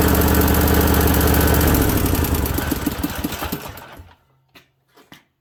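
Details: Briggs & Stratton Vanguard 20 hp V-twin with newly installed oil cooler, at first start and then shut off. Even, steady twin beat for a few seconds, then it winds down cleanly and stops; sounds real healthy, normal running.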